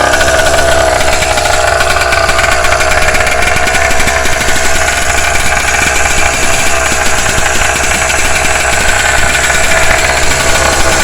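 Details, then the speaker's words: Engine on its first start-up, running in for break-in: a loud, rapid, sharp puffing tick. An exhaust leak is visible at the front manifold joint. "oh yeah I got exhaust leak right here I see that already not bad for first start up"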